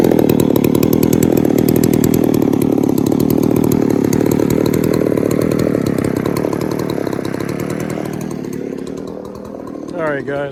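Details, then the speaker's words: Poulan 3800 chainsaw being diagnosed: a buzzy two-stroke idle that wavers and sags with an unsteady rhythm, sounding like it is loading up while idling; an air leak or tuning issue is suspected, not confirmed. "I know if you can hear that but it sounds like she's just loading up just sitting there idling"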